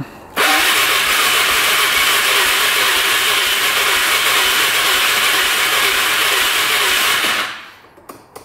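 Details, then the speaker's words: 2005 Can-Am Outlander 400 Max ATV, 5,486 miles and 612 hours, cranking strongly for about seven seconds with no firing; battery over 12 volts, owner suspects a fuel issue rather than low compression; crank no start, cause unconfirmed. "So, turn it on, and this thing just cranks. Cranks good, but does not fire up."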